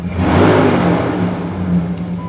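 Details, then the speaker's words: Jeep ZJ Grand Cherokee 5.2 V8 that had been overheating, after fan clutch replacement: steady whooshing rush of air with no rattle or wobble; new fan clutch engaged and pulling air as it should. "right there is what it should actually sound like with the new fan clutch"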